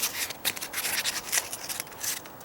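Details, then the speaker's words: Door rubbing after the threshold was reamed: short scratchy swishes each time the door moves, traced to a small piece of paper stapled near the edge catching the frame. Removing it silenced the noise. "stapled on there nothing now that's what it was look there just that little piece of paper"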